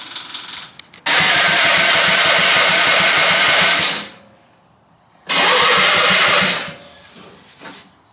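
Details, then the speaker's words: Half-scale NASCAR Mini Cup race car after the ignition switch was turned on and spark confirmed: two long starter cranks with quick even chatter and just one faint pop. It is fuel-starved because the fuel pump isn't running after its little ball fell off. "our fuel pump. The little dilly ball fell off. I was like, I don't hear the fuel pump going."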